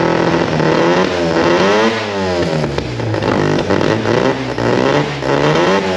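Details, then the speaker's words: Mazda RX4 13B rotary race engine with old Haltech ECU running the ignition, battery at only 11 volts and suspected alternator issues: revs wavering and stumbling, running rough; owner suspects low voltage to the ECU, cause unknown. "so I'll get it running but it runs like [ __ ] the race car stuff actual race car"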